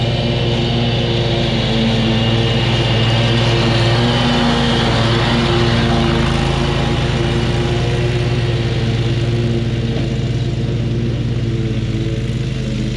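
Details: Kubota zero-turn mower, about seven years old, after a new switch was fitted: steady, even engine drone under mowing load with no misses, knocks or surges; running healthy.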